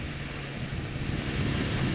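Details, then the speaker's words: Yamaha XJ 600 motorcycle on its first test ride with a replacement used engine after the old one failed (leak at the cylinder base): smooth, even, low engine drone under light road noise, no knocks or rattles; normal, quiet running. "läuft schön ruhig"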